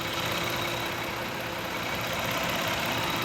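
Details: 2000 Toyota Avalon 3.0 VVT after replacing a failed coil pack for a misfire: steady even idle hum with no skips; engine running smoothly, not a variable valve timing issue.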